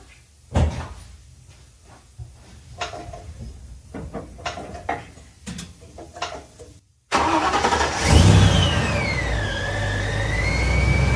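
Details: 1956 Ford F-100 with Powerdyne belt-driven centrifugal supercharger after replacing failed internal cog drive belt; clatter, then engine fires, high whistle rising and falling with revs; normal supercharger whine.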